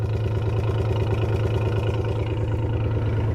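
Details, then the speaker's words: 1994 Toyota 4Runner 3VZE V6, no compression on two cylinders: rough, lumpy idle with an uneven thump roughly every two-thirds of a second, a dead miss; owner also suspects EGR. "now i don't know a whole lot about mathematics and science and such but it shouldn't sound like that i'm thinking that's egr and a dead miss yep there's that dead miss i was talking about"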